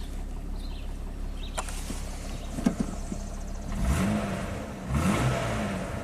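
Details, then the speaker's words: 2002 Jeep Grand Cherokee 4.0L inline six after crank no-start repair and cam/crank sync set near zero: idles then takes two clean throttle blips with no misses, knocks or stumbles; normal smooth running. "Runs nice and smooth."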